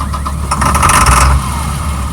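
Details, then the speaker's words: 2003 Blue Bird All American 72-passenger bus, parked six months with an empty fuel gauge, run on starting fluid with new batteries and weak jumpers: it cranks and runs strong briefly; the engine sounds good. "so but it does run when i say it runs it runs"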